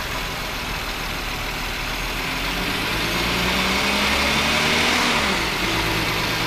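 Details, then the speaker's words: 2009 VW Touareg 3.6L, lean codes on both banks, P0507 high idle: idle drifts up and sags rather than holding steady; plugging the hissing vacuum hole changes nothing, dipstick gauge shows vacuum in crankcase, internal PCV leak. "I have an internal lead through this PCB which is why even want to plug up this hole there's still no change but this is just an easy test to show if you have any internal vacuum leak"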